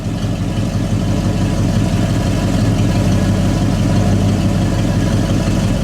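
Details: 1969 Mercury Cyclone Spoiler Dan Gurney Special, factory 351 Windsor V8, automatic, dual exhaust, survivor car: deep, even V8 burble at steady idle, about three pulses a second, no miss or knock; healthy.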